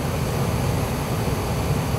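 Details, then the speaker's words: Gas-fired furnace in heating mode after gas valve pressure adjustment, with the manometer reading about 3.47–3.48 against a 3.5 target: an even rush of air and a low burner roar, no rattles or surging. Normal heating with the blower running. "furnaces fired up blower motor kicking we are in the heating mode just wanted to check her again"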